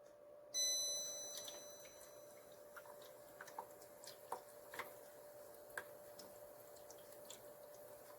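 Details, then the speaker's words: Vitek VT-2354 BK ultrasonic humidifier after repair (no mist; piezo element descaled with citric acid, faulty transistor replaced): faint steady high tone with irregular soft ticks and water drips; normal misting operation. "vous pouvez le constater, l'appareil fonctionne, il ne reste plus qu'à l'assembler."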